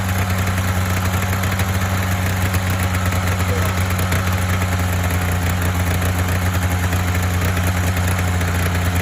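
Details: Polaris Indy 500 two-stroke twin snowmobile after used-parts top-end rebuild (overheated, no compression on one cylinder): catches and settles into a steady even crackly idle, no misses or knocks — normal idle.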